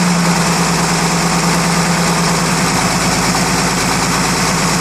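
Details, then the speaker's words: 1933 Chevrolet six, rebuilt engine (5.6:1 compression, 74 hp at 3200 rpm), first start in over 50 years: smooth, steady idle with constant low hum, no knocks or misses, oil pressure holding; normal running. "be able to drop that right back that is a smooth as me"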